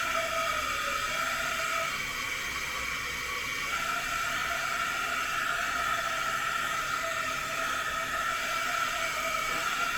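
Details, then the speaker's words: 2000 Honda XR200R with zero compression, leak-down test at top dead center: loud, steady rush of air with faint whistle, roughly 100% leakage escaping past both valves; teardown later found bent valves and worn cam chain. "immediately you can see it's like 100 leakage"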